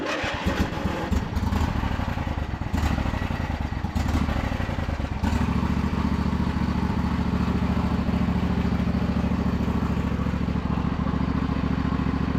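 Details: John Deere L120 riding mower after hydrostatic system was bled: a few seconds of ragged cranking, then it catches and settles into a smooth, steady run with no knocks; sounds healthy.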